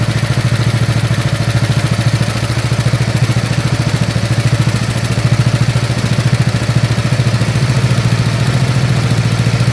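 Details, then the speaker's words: Snapper SR-Series mower with 10HP Briggs & Stratton single-cylinder engine, stored 10 years, after carburetor work and fresh treated fuel: even, steady putter about 3.5 pulses a second, no stumbling or hunting; running good, air cleaner makes a difference. "All right, so she's running good. All right, she's starting to wake up. The air cleaner makes a difference."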